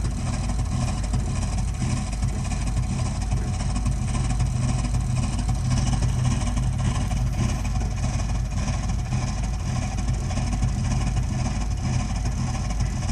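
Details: Burnham Alpine boiler with a continuing loud-noise problem: loud, deep, rough roar with an uneven pulsing throb; the boiler is burning far noisier than it should.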